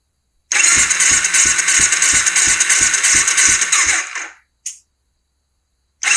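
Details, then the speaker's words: 2005 Kawasaki Ninja 250 twin, dry compression test while cranking on the starter: light, even pulses about three per second with little resistance; both cylinders read about 120, roughly 100 low, and piston rings are suspected. "okay we've got crap compression on both cylinders down about 100 from where they need to be we around 120"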